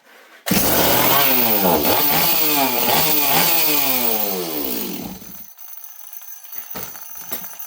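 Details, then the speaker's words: Stihl 026 chainsaw, started on full choke with a fresh plug after the carburetor system was dry: screams high and races up and down, then cuts out; runs totally different and sounds lean. "we did something it runs totally different now sounds lean I don't know what's going on here"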